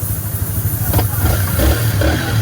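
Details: Yamaha R15 M V4 motorcycle, finished repair and reassembled: fires right up, holds a smooth low idle drone with a light throttle blip, even and clean; sounds healthy.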